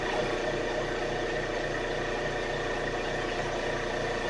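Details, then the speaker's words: Air compressor running after repair; before the fix it ran but made no air. Owner swapped a set-screw part for one tightened with a wrench for more torque. Even, steady motor hum with a constant pitch and no slipping, clatter or surging; it is now compressing air normally. "And as you can see, it's working. And if you look over here, don't know if you can see it or not. doesn't compressing air and that's what we want."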